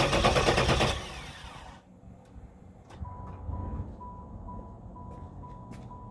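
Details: 1994 Pontiac Trans Am Formula V8 that died under hard acceleration, now cranks but won't start despite new opti, coil, ignition module; has spark and fuel, owner suspects low fuel pressure: about a second of steady cranking without catching, then warning chime.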